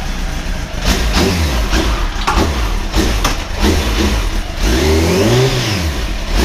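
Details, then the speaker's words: Motorcycle after repair and oil refill, earlier noise now gone: clean throttle blips climbing and falling smoothly with no misses or knocks; engine sounds healthy. "I hope you can hear me I was getting a noise and there's no noise now"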